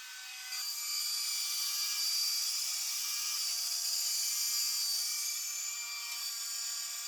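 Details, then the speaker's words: Homemade solar tracker worm gear drive after the gear was replaced and tightened with an added T-nut: steady, even high-pitched motor whir with no grinding or skipping; gear runs smoothly, though the rope still slips on the shaft. "I don't hear the grinding and breaking of gears, so that's good."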